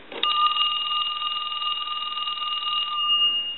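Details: Original Mickey Mouse telephone during ring check on a line analyzer at initial checkout. Clean, steady high warbling ring held about three seconds with no buzz or dropouts; the ringer works properly.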